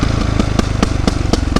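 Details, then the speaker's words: 2008 Yamaha YZ450F: sharp pops about four a second over lumpy off-throttle rumble, also when revving; exhaust popping on deceleration, with exhaust connection leak suspected and valve clearances found way off; fixed with proper exhaust clamp, carb clean, valve adjustment. "So, what are the problems, you might ask? Well, number one, the exhaust popping on deceleration."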